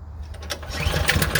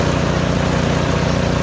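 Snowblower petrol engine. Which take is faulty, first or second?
first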